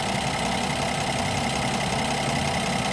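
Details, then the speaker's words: Brand-new 2025 Ram 1500 Big Horn with the SST inline-6 twin-turbo (420 hp, 476 torque): steady idle with fast, light clicking, about three ticks a second; owner feels it is a lot of clicking, source not found. "Dodge Ram Mopar we'll just say Mopar how about that it just seems like a lot of clicking"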